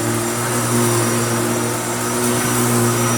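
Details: Restored Hoover Turbopower U2724 upright vacuum with a new belt, slammed to the floor on heavy carpet, sticking down well and hard to push: steady motor hum, constant tone, no rattles, scraping or pitch drops under load; normal running.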